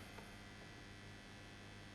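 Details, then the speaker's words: Suzuki Electro Tester SS-II motorcycle ignition tester on first power-up during repair: steady, loud, buzzy low hum from the small transformer, which vibrates; whether it is faulty is unconfirmed. "oh jeepers you hear that humming that's uh quite a noisy Transformer there a bit worried about that may need to check the output voltages just sort of see what's going on"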